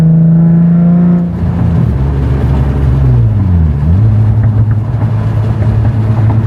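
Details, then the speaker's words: Nissan 350Z after fixing a Y-pipe exhaust leak with an extra-thick gasket (Tomei cat, test pipes, Hanko exhaust), driven about five minutes: deep, smooth, refined drone rising and falling with revs, no hiss, ticking or rattle; normal exhaust, no leak. "Very deep, very refined. Just sounds good overall. Very happy."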